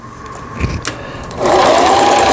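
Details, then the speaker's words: Singer 3221 Simple home sewing machine (shuttle race/hook) after repair of a hook timing angle knocked out of position by forcing the pulley; reverse button works and stitching runs at an even, fast whir without knocks, reversing smoothly; lower-shaft cavity makes it somewhat loud. "후진 버튼 정상 작동되고 있고 작동 스티치들 여기 A를 지나서 S1에 놓으면 3중겹 지그재그 바느질 정상적으로 작동되고 있습니다."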